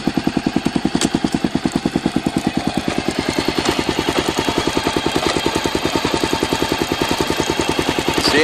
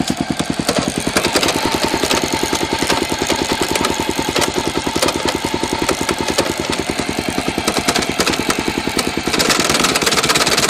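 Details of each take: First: Honda XR650L single-cylinder motorcycle thumping evenly in first gear with no knocks. It runs normally in first but starts clunking when shifted into second. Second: Honda XR650L single-cylinder motorcycle runs normally in first; after shifting into second with rising revs, a harsh uneven clunking mixes into its thump; clunking in second gear.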